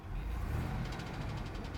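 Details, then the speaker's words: Truck engine that a viewer was told needs replacing: heavy, rapid knocking over a deep-running engine, judged to be a worn rod bearing. "It's not looking good, not sounding good, buddy. No, I'm not digging that one. Heavy knocks, not good."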